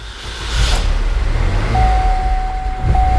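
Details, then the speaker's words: 2009 Chevy HHR SS, 96,394 miles, engine catches and runs with low uneven rumble, struggling to idle then stalls; left intercooler pipe sheared off causing massive boost/vacuum leak, probably post-MAF. "it's got a massive boost leak which is also a vacuum leak so the car is not happy at idle so i gotta keep my foot into it for just a second"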